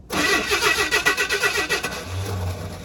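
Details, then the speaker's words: 1979 Chevy C-10 half-ton with inline 6-cylinder, sat 8 years in tow lot, new plugs: laboured uneven slow cranking about six to seven beats a second before catching, then smoky; owner suspects worn starter. "I think it's going to need a new starter soon."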